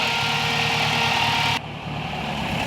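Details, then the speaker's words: Spal 16-inch electric radiator fan (owner believes 1500–1800 CFM) on turbocharged Toyota Pickup, warm idle after blown fuse replaced: loud steady rushing whoosh with faint hum, then drops sharply; extremely loud, more airflow than the old fan; normal operation. "but now it's working fine very strange but the fan is activated and it is extremely loud and it blows a ton of air way more than the last one"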